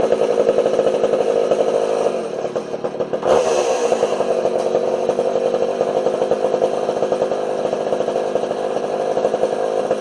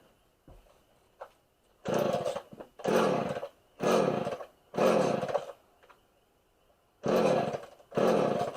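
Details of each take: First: Homelite 240 two-stroke chainsaw after adjusting the low and idle jets on the carburetor: crisp, even buzz holding steady high revs with a brief dip, clean and responsive; running properly. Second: Homelite 240 two-stroke chainsaw after richly set carburetor (low jet out about eight turns) was adjusted: fires in roaring bursts of about a second then dies each time, surging and stalling; owner suspects too much fuel.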